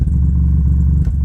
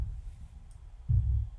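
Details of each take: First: Miller & Kreisel MX-70B powered subwoofer, signal connected: steady deep drone around 30 Hz, present even with no input, frequency changing with low-pass filter adjustment; amp breaking into oscillation, suspected dirty pot or high-ESR capacitor. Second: Miller & Kreisel MX-70B subwoofer amplifier, previously distorted even with no input, playing from an MP3 player into a 6-inch test speaker: deep bass thumps clean and undistorted at lower volume, no crackle or hum; normal bass playback.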